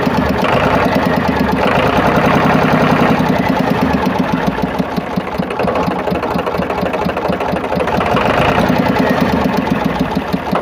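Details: Powertrac tractor diesel idling after water pump repair; loud steady clatter, no squeal, rumble or whine from the front pump area; water pump noise heard before is now gone.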